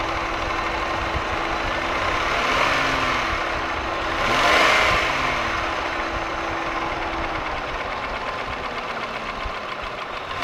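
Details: Holden Commodore VY V6, Series II Buick 3800 / Ecotec 3.8 petrol, idling with a light, fairly steady tick over a hum. The owner asks whether it is valvetrain (lifters, pushrods, rockers) or bottom end (rod bearing); unclear.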